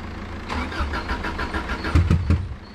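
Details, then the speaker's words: Subaru Impreza that had been sitting a while, low on fuel, cranking on the starter and catching roughly with uneven stumbling bursts but not running cleanly; it ran before; very bad misfire, cause not confirmed. "yeah it sounds like he's got a very bad misfire i'm gonna give it a little rest i don't want to burn out the starter"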